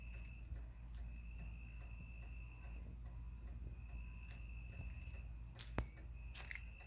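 Quiet, steady ticking about twice a second with a faint whine; the light's relay keeps chattering instead of switching the lamp on.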